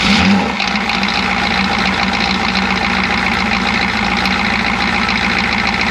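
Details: Chevy G20 van with 6.2L diesel and a grease-caked intake manifold, steady idle with an uneven lumpy beat as one cylinder drops out; misfire, owner suspects a timing problem.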